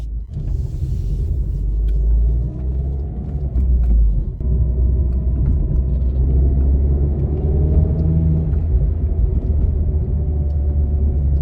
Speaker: Well, I can't hear the wheel bearing. That's a positive.